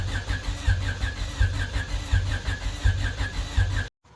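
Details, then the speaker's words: Honda Civic right after reassembly with valve cover and spark plugs, coolant not yet added: lumpy uneven chuffing about once a second, then cuts out; still down a cylinder, bottom end suspected. "Well, unfortunately, it sounds like we're still down a hole. That sucks."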